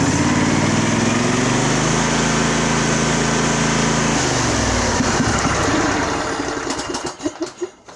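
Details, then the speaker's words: Craftsman riding mower, Briggs engine, choke off, cover off: runs smooth and revs up properly, then sputters and stalls when it comes down to idle; idle circuit suspected. "actually it runs real nice smooth revs up the way it should comes down to idle then stalls"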